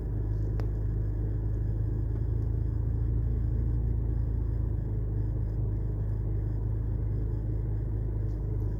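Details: BMW 325i N52 inline-six idling after an amateur service: new NGK plugs, Bosch coils, VANOS solenoids, DISA valves, oil separator, MAF, manifold gaskets, and cleaned injectors and throttle. A steady idle with an occasional faint stumble; a slight misfire remains at start, much better than before.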